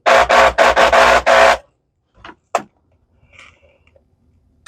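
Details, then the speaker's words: Shark NV651 vacuum with no brush roll, its brush roll motor powered directly from the wall through jumper clips: five short, loud, rasping bursts as it is switched on and off, then silence; motor fires but sounds horrible, possibly a loose PCB wire or wrong power source. "So your motor is firing, man. It sounds horrible."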